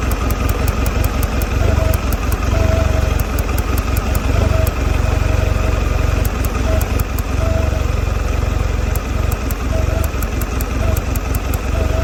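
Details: 2022 Mercury 150 outboard running a low, uneven idle with a loping, irregular beat and occasional stumbles over steady background. Rough idle, cause not evident.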